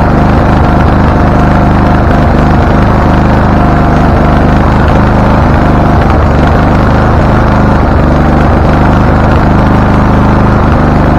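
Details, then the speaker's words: Husqvarna LTH 1438 riding mower (engine cover says 13.5), choke open, first start: uneven, lumpy running with irregular pops, misfiring and backfiring; shop reported backfire through carburetor and exhaust, suspected loose cam gear changing timing, not confirmed. "okay so it is running it doesn't like the idea but it's running"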